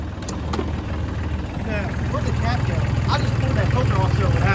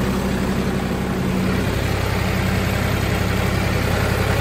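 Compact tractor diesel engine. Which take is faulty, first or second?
first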